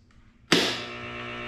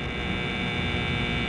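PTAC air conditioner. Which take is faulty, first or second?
second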